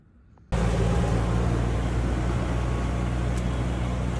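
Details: EZGO TXT golf cart with a 298cc single-cylinder engine, after a no-start repair with a new carburetor, fuel pump, plugs, filters, oil and belt: a steady low drone kicks in and holds even, with no stumbling or misses; the cart runs normally.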